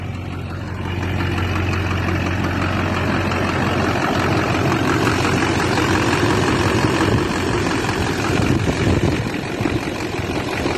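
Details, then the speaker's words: Squarebody Chevy with swapped Duramax diesel, started after sitting: knocked a little at startup, then steady even idle clatter with slight rev rise, no smoke, little blowback; healthy normal idle. "Dang, old girl started right up this morning. Runs good, no smoke."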